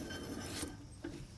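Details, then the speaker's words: RV camper trailer hub reinstalled with Hub Defender spacer adjusted and spindle nut tightened, spun by hand: soft, even rasping whir with no clunks or grinding. The bearing turns freely and smoothly, and in-play is checked next. "now that we've got our Hub reinstalled the spacer adjusted I've got the spindle nut tightened down The Hub still spins free"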